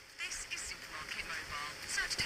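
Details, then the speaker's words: Radio receiver on headphone output plays harsh, fuzzy, very distorted sound breaking up on voices and music; owner thinks it needs recapping, distorted audio output. "so you can hear it's working it's very distorted so"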